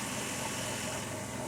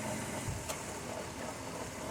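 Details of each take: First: 2002 Dodge minivan idling with A/C compressor engaged (kicked in twice): busy, rough rattle over steady hum, attributed by owner to low compressor oil; recorded before injecting oil with dye into the refrigerant. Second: 2002 minivan after adding refrigerant oil with an injector tool, having rattled from lack of oil: steady hiss and even whir with no rattle; normal AC compressor operation.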